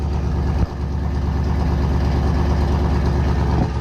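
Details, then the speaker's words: Camaro ZL1 V8, freshly built and not yet broken in, run for only about 15 seconds and not yet at operating temperature. Deep, steady idle with a mild uneven lope at low revs, smooth throughout. Normal cold idle. "It's too quiet for me. It hasn't broken in yet. We've only had it running for about 15 seconds maybe, and that's about it, you know?"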